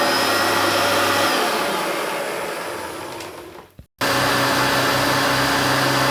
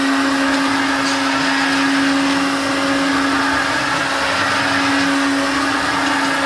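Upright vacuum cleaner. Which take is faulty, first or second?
second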